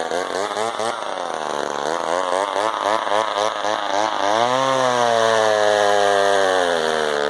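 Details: Husqvarna 35 chainsaw, idling for a couple of minutes after being got running: two-stroke buzz wavers and hunts, then settles into a smooth steady idle; healthy.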